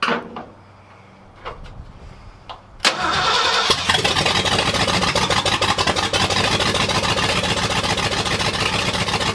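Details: 1979 Ford F-250, brand-new 351M V8 first start on open exhaust manifolds: starter cranks briefly, fires loud and uneven with lumpy unsteady beat, never a clean idle; owner suspects timing not set right and carb gummed from storage.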